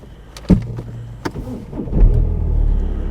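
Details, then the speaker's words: BMW 320d diesel, 07/2014, 283,000 km: short crank, catches quickly and settles into steady low idle clatter; healthy start, though one engine mount is slightly worn. "Заводиться добре."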